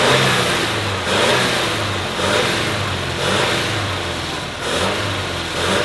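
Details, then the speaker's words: 1986 Ford F250 (stick shift), just started, in 110° heat: revs rise and fall about once a second with an uneven, lumpy note under load; not running well, and the crew hopes it will clear up; cause unconfirmed. "it's running let's go home he just revving it will it still run if you let off yeah all right oh heck yeah might need I mean it's not running good not [Music] fine it'll clear up"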